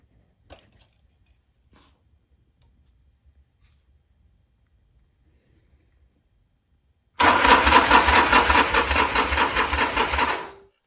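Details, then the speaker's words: 2009 Harley-Davidson XL1200 Nightster with new battery, after new primary work: starter spins the V-twin at a steady two-plus beats a second but never fires; fuel pump did not prime. "I don't want to keep cranking it over and kill the battery um it's actually got a brand new battery in it as well but there was something very specific that I did not hear when I turn that key on fuel pump didn't Prime"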